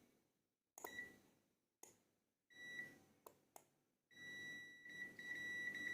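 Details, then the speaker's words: Energized 4-/5-pin relay checked with a multimeter in continuity mode across pins 1 and 2: short high beeps, then a long steady tone. The contacts are closed and connected. "ketika terlihat FIF antara Detik Dan ini titik 1 dan 2 ini akan bunyi akan menandakan kalau dia terhubung"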